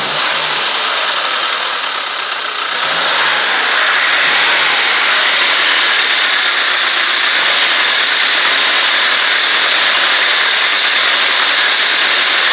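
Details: ZMZ-406 carburetted engine at steady idle: hissy running with a faint, roughly regular dull knock about four per second; suspicious engine knock, source not pinned down.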